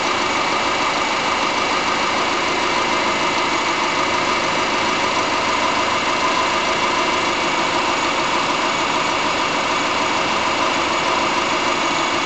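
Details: 2005 Subaru Forester (MY05) EJ25 naturally aspirated flat-four, about two years old, idling: dull, somewhat uneven knock about three beats a second; owner suspects piston slap, not confirmed.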